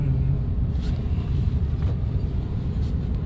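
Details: Toyota Rush driving after releasing the over-tightened handbrake cable that kept the brakes dragging: steady low road rumble with no scraping, rubbing or dragging; the car pulls freely again, no fault codes.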